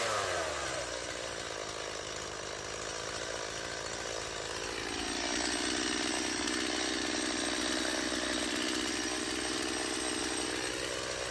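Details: Stihl MS170 chainsaw cutting after a fuel line replacement and a swap from a non-adjustable Chinese carburetor to the original Zama: crisp high scream revs cleanly, bogs slightly into the cut and holds steady. The earlier no-start is cured and it runs very well.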